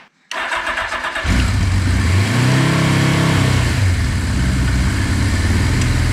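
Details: Suzuki GS850G motorcycle, long unused, first start on fresh 91 fuel with choke and oil a little low: after cranking it settles into an uneven, lumpy, weak run, with the two inner cylinders not firing.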